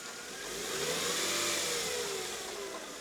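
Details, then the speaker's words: 2000 Mercedes E320 at start-up: an initial noise that fades, settling to a smooth, steady idle with a soft even hum and no squeal, chirp or rattle from the belt side; normal idle. "There's an initial noise. The noise seems to be going away."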